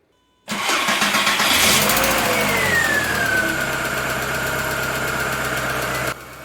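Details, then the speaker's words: 1999 VW MK4 Golf 2.0, started after sitting a couple of days with the timing covers off: cranks, catches and settles to an even idle with only a light background tick; the start-up squeak from the rusted, split timing covers is gone. "i can't say i ever noticed that ticking but the squeak is gone so imma call it good"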